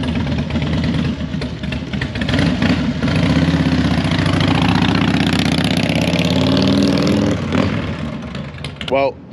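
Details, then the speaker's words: 1983 Harley-Davidson FXR V-twin after repair: fires up and settles into a steady even potato-potato idle with both cylinders pulling, sounds stronger; normal idle. "that sounds a lot better a lot a lot better I think it sounds like it has some power in it right now"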